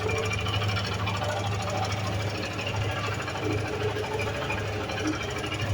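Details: Suzuki Gixxer motorcycle at idle: fast, sharp metallic ticking rattles over a steady low engine drone. Engine knocking noise, no clear cause.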